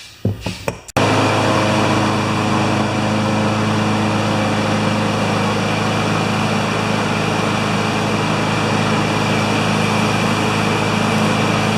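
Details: Craftsman lawn mower with Kohler single-cylinder engine of about 6 horsepower, brought in with a broken pull rope, after carburetor cleaning: runs at a steady, even speed after the starting pull, no hunting or misfire; healthy running, though it needs a filter.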